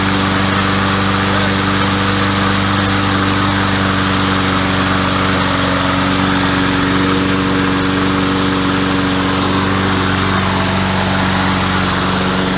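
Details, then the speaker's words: Swapped single-cylinder engine on a lawnmower with a new carburetor, no air filter yet, just started, smoking a little: steady even putter at constant speed, no misses or knocks; normal running. "we're smoking a little bit but she starts there you have it motor swap motor starts"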